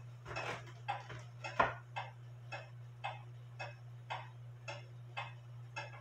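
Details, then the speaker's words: Drop dial case clock, wooden plate, double fusee movement, after modifying the lever wire and shortening the suspension leader wire, hung with pendulum on: crisp even ticks about every half second over a low hum; in beat. "it sounds pretty good to me I adjusted the belt I think I need to adjust the Bell a little bit more"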